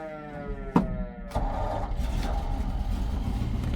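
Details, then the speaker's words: 1954 Ford F-800 fire truck, five-speed, push-button start: a click, short crank, then it catches at once and settles into a steady even low idle; healthy start. "The old girl fires right up. So, you have a five-speed transmission. Listen to it purr."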